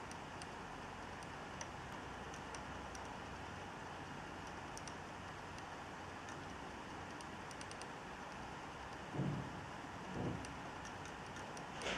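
Faint, light clicks at an uneven pace over a quiet hiss, about twenty a minute; the drive is clicking, cause unknown.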